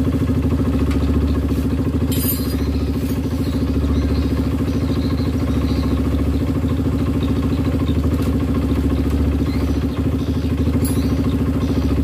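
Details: Honda CRF150 after a new rebore, test run after clearing an oil passage blocked by the gasket: a steady single-cylinder idle with an even beat about three per second and no top-end rattle or clatter. Oil flows freely and the engine sounds healthy.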